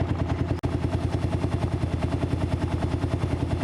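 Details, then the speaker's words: Kawasaki KLR650 single-cylinder, run about 20 minutes during winterizing until cooling fans came on: even thump about 200 beats a minute, no knocks, fan barely audible; fans working normally, engine healthy. "when they turn on you can barely hear them uh they work but they don't make any noise they're working as they're supposed to so that's a good thing"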